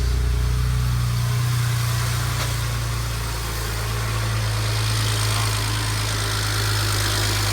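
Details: 2007 BMW 335xi N54 with 135,000 miles, idling after first start following turbo replacement, while being checked for leaks: deep, steady, even rumble with no wastegate rattle. Healthy idle.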